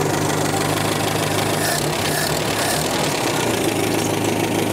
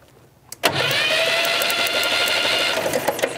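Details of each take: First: 1965 Datsun 320 pickup, first start after 30+ years sitting, original uncleaned carburetor, fuel dripping from leak: old petrol engine settles into steady idle with even low beat, no misfire or knock, slight background hiss. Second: 1965 Datsun 320 pickup, sat over 30 years: steady starter cranking with crackling snaps as spark arcs out of the ignition coil, suspected cracked; engine won't fire; coil swap planned.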